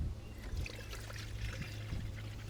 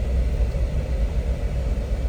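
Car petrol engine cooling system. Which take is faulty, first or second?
first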